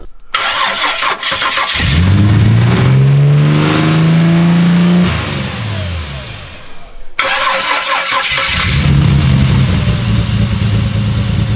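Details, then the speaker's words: Ford EF Falcon with swapped Barra turbo engine, first start: cranks, catches and revs with rough uneven knocking and hiss over idle; MAP sensor left unplugged, leaving a large hole in the intake. "we figured out what was causing that weird noise so we didn't have the map sensor plugged in so there was a massive hole in the intake right here"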